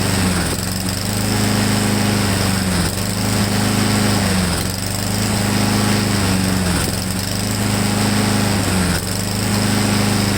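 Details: Honda-powered Husqvarna mower: speed rises and sags about every two seconds, hunting rather than holding; owner doubts the choke, suspects the carburetor emulsion tube needs removing. Cause unconfirmed.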